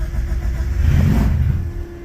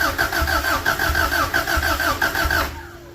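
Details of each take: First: Carbureted car cold start in snow with cold-start spray applied before the air filter, breather removed, clutch pressed: short crank, catches, roars up briefly then settles to steady idle as it pulls fuel; normal cold start after a struggle. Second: Cold start in snow of an old time-capsule vehicle missing a wheel spindle, with a battery fitted after wiggling the terminals: the starter churns about three beats a second for nearly three seconds but it never fires. Cause unconfirmed.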